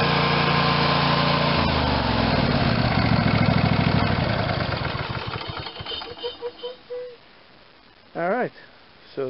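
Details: Craftsman YS4500 tractor, Briggs & Stratton 22hp Intek OHV twin, final check after carb cleaning and intake reseal: smooth even beat for a few seconds, then clean wind-down at shutoff, no knocks or misses.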